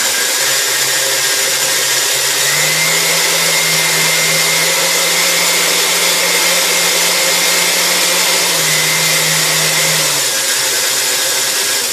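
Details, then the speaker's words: 1960s KitchenAid Model 4C mixer restored, worn speed control plate replaced: steady motor hum holding one pitch about eight seconds without surging; runs at steady speed, slight speed skip remains; normal running. "it still has a little little bit of a skip on speed too but this thing goes at a steady speed"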